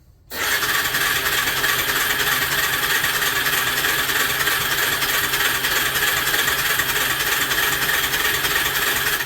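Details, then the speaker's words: Suzuki LT300E ATV cranking on its electric starter during diagnosis: steady rapid starter chatter, roughly three beats a second, engine never catching; pickup induces about 2 V, so the CDI is probably shot (suspected, not confirmed); cranks but no start. "Sounds like 2 volts, which is enough to tell it to fire, but it is inducing a voltage. So the CDI is probably shot."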